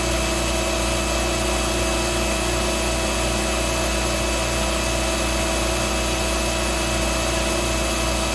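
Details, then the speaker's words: Hoover Dial-A-Matic 1136 vacuum running: loud, harsh steady motor roar with a gritty rattle throughout; the brush roll is what sounds bad. "So it's the brush roll that really sounds like crap."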